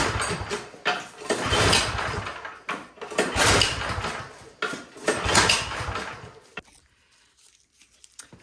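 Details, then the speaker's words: Troy-Bilt 24-inch snowblower on full choke and primed; the electric starter failed, so it was recoil-started. Four hard pulls spin the engine but it never fires; the plug was wet with no spark: a fouled spark plug. "the spark plug is really wet hold that spark plug against the valve cover and pull and they have no spark"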